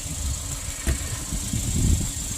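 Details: 2016 Kia Sorento 2.4, known to burn oil, after a P0304 misfire was diagnosed to a fouled cylinder 4 plug: a steady, even idle with no skips and a faint hiss. The misfire is gone.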